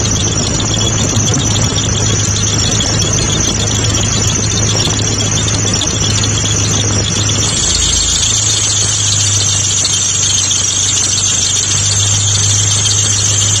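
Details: Mitsubishi GTO at idle: loud, steady, piercing squeal throughout, dipping briefly once, from A/C compressor magnetic clutch; clutch clearance fault suspected.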